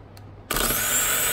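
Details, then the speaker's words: Powermaster 9103 small-block Ford starter, two months old, bench-tested on 12 volts after replacing a faulty solenoid: Bendix pops out, motor snaps on and spins to a smooth steady high whir, no grinding; normal. "we go Bendix pops out we got juice coming through it's turning"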